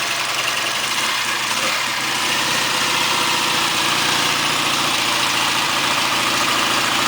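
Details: 1959 AJS/Matchless G12/G15/45 twin in Rickman Metisse frame, freshly rebuilt, started with choke set: fires up and settles into a steady even idle with crisp exhaust beat, no knocks or rattles; runs clean.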